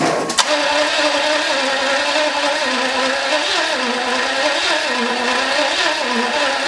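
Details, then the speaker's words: Jaguar XJS with newly built engine from spare parts, first start attempt; steady whirring crank wavering slightly in pitch, never catches; no-spark suspected, not confirmed. "that sounds like it's just not getting sparked because it ought to be firing off of i mean we got i ran the check on it let's run another one"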